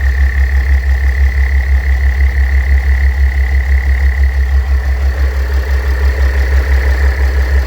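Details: Mercedes W211 with OM642 3.0 diesel at idle: steady, unchanging high whine over an even idle from a worn A/C compressor bearing; replacing the bearing eliminates the noise.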